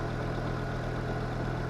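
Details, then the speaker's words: 1996 Volvo 850 idling after battery replacement: smooth, even low hum with a steady beat and no misses or knocks, no blow-by; healthy idle (ABS light points to a passenger-side speed sensor fault). "Yeah, but we got the new battery in, so it's working pretty good."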